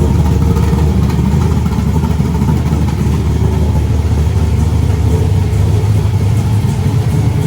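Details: Freshly installed replacement LS1 V8, first start after the old engine threw a rod through the pan: deep, steady idle with a choppy lope from the big cam, no clacking or knocking; sounds healthy.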